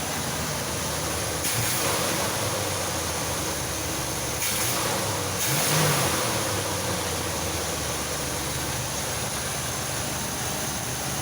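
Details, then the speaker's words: 1985 Chevy C10 V8 just after a carburetor replacement: steady, even burble with a couple of light throttle blips and no stumble or miss; the new carb is running it fine with no leaks. "meantime let's see if this thing actually works well it seems to be running"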